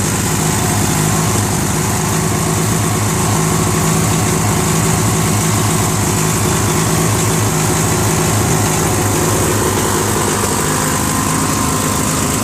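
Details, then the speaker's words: Free trash-find Briggs & Stratton 16HP opposed twin (valve unstuck, flushed, added carb) on a Murray garden tractor: a loud chug that wavers and stumbles, surging lean. It runs better on choke. Owner thinks the carb's missing Welsh plug is the cause. "I figured out why it's not running so good. Apparently it's missing the Welsh plug, I think. Whatever goes in there, it was missing. So that's why it's not running right."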